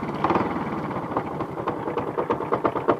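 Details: Alfa Romeo engine: quick, sharp knocking pulses over an uneven idle, roughly in time with the engine, loudest low on the engine. Engine knock, cause unclear.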